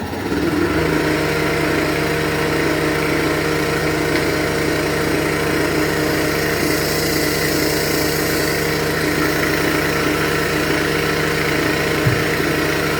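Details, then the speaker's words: Edwards xDS35iE dry scroll pump, about 3–4 years old, running open to atmosphere after a tip seal change to wear in the new seals: steady even hum, no knocking or grinding; sounds normal now, quieter than at first start. "That sounds okay. So, maybe we're good. Let it run like that. Let the seals wear in a bit."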